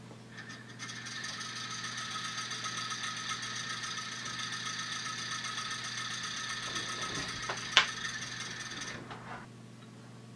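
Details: Original mechanical version of a small home-built pulse motor, about two years old, with cam and brush switching battery power through the shaft, which spark-erodes the support hole: fast, even, light buzzing clatter, steady speed, running fine.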